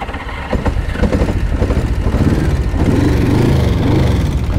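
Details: 1981 Honda GL1100 Gold Wing started with taped fuel hose: lumpy, uneven firing with stumbling beats and surging revs; running on fewer cylinders.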